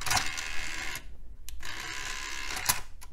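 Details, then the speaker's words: Dell PC optical drive after its noisy gears were greased with white lithium grease: rough whirring bursts and sharp clicks as the disc spins up; it works but is still noisier than it should be. "noisier than I would like but good enough for now"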